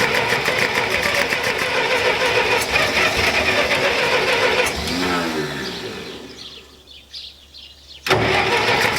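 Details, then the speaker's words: Massey Ferguson 65 tractor after carburetor cleaning, brake on, cranking: sluggish, uneven cranking that sags and dies away before catching again, sounds a little more lively; the starter has issues and is not working right. "sounds a little more lively the starters not working"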